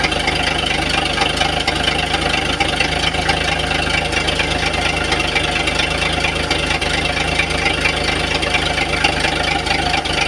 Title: Engine knock